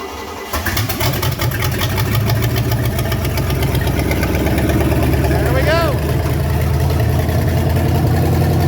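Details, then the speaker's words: 5.7 OMC V8 long block started on the floor before installation, after a slight flood: deep steady rumble revved to about 1500 rpm then settling to even idle, healthy; a little smoke burning off, possibly oil. "that sounds like you're revving the hell out of it man that's five 1500 are okay"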